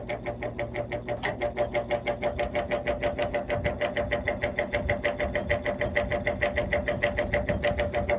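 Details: 1950s GE box fan, three-speed, electrically reversible, running on low; the bearing has play and it needs oil. Fast, even thumping over the motor hum and rattle. The off-centre blade hub on the spindle throws the fan badly out of balance.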